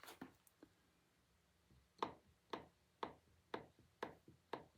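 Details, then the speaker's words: Lawnmower blade balancer cone turned by hand: crisp clicks about twice a second as the loose bearing knocks back and forth. Worn bearing with excessive play of about 15 thousandths of an inch. "I'm hoping you can hear that noise that's 15,000 if I turn it a bearing should not rattle like that"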